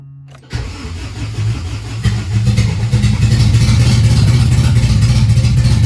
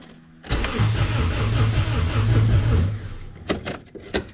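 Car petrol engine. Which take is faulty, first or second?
first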